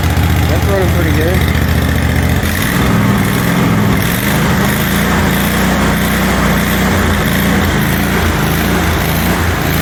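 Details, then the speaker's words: John Deere QuikTrak 652R EFI mower after replacing ECU and rectifier/voltage regulator, spark plug boot reconnected after running on one cylinder: loud steady idle, even beat, no hunting or misses; idles good. "Load it up and take it to the dealer. It idles good."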